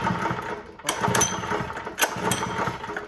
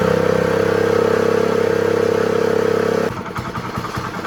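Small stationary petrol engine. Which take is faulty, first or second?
first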